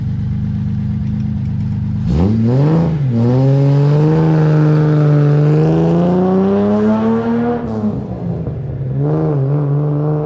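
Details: Finished project car, a 260, said to be running great. It fires up and revs cleanly, pitch rising and falling smoothly with throttle, then settles to an even idle: normal running.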